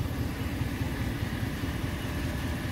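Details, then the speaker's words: Ram 1500 5.7 Hemi: smooth, even low idle rumble with none of the usual ticking, clanking or rattling; sounds healthy and quiet. "wow I can't believe how quiet that is I'm not hearing all the clanking and it always sounds like it's rattling in there"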